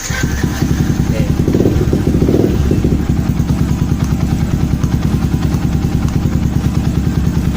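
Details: Yamaha Old Vixion motorcycle that had been stalling and would not start, after fuel pump checks: a steady, even low thumping at constant idle with no misses or stumbles; it starts and runs smoothly.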